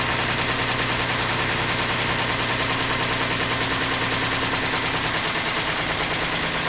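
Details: 2008 Ford Explorer 4.0L engine at steady idle just after reinstallation: a busy metallic rattle and tick, about three a second; timing chain noise, and the engine was pulled apart to inspect it.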